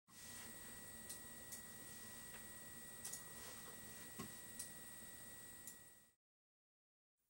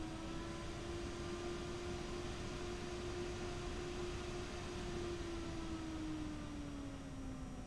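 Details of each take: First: AMD Radeon R9 Fury X graphics card from the initial batch with faulty pumps: thin, steady high-pitched whine at one pitch over faint hiss, then cuts out; the liquid cooler pump whine. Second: AMD Radeon R9 Fury X radiator fan, apparently a Nidec Gentle Typhoon variant, ramped up and down. A smooth, even whir with falling pitch over a soft airflow hiss: normal fan operation.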